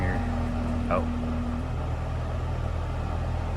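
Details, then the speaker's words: Central AC, stopped cooling overnight, blowing room-temperature air: steady fan hum with short buzz as compressor tries to kick on then gives up; compressor fails to start, bad capacitor (later confirmed and replaced). "hopefully you can hear that little buzz it's really like it tries to start you know kind of that sound when the ac tries to kick on aside from the actual fan sound it like tries to kick on and then it like gives up"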